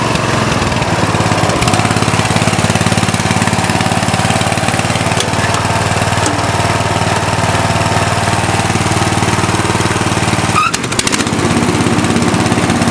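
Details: Murray lawn tractor with a 16.5 HP Briggs & Stratton 31C707 single-cylinder engine, with a load on the seat; loud lumpy thump with uneven firing and a sharp afterfire pop through the exhaust, suspected carburetor problem.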